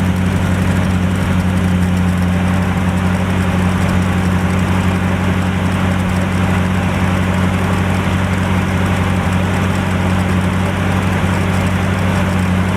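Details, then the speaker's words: 1949 Chevrolet started after long storage with new battery and fuel, smoking, thermostat opened, oil pressure unmonitored: loud low idle with a slightly uneven thump, holding without stalling; hoped to clear up, cause not confirmed. "Again, you'll see the smoke, whatnot. We're just going to monitor that, make sure that's not a bigger problem than I assume, and hopefully she'll clear up and run good."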